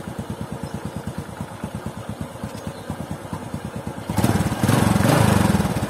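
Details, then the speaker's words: Honda Supra X 125 after fixing clutch-area tek-tek rattle by shimming the clutch plate: steady single-cylinder idle about two beats per second, even, no clatter from clutch side, then brief rev; normal idle. "pasangane dengan ganjelnya kampas gandel tadi membuat pergerakan kempas garanya terlalu tidak terlalu banyak sehingga suaranya pun jadi lebih halus"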